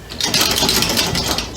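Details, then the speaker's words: Prototype 6-cylinder compressed air motor, oval ring with a drive shaft and no crankshaft, air lines changed, leaks fixed and timing reset: fast, rough hissing chatter with sharp air puffs over a busy rattle; runs noisily, cause unclear. "It's pretty noisy, but"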